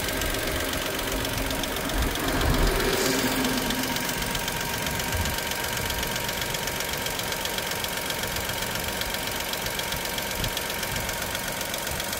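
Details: Dacia Sandero SCe 75 petrol engine at idle: steady light tick, roughly four per second, over an otherwise even idle; source unidentified.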